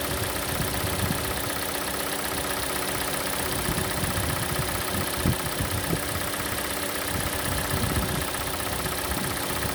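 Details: Hyundai/Kia G4NA engine at cold idle: steady idle with a faint, uneven light tick coming and going; hydraulic lifters suspected, though owner also wonders if it is the canister purge valve.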